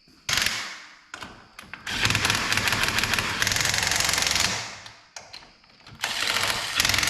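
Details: John Deere Gator XUV 590M after replacing a grinding, non-engaging starter: starter clatters in short bursts, then the engine catches and runs steadily for a couple of seconds; normal start.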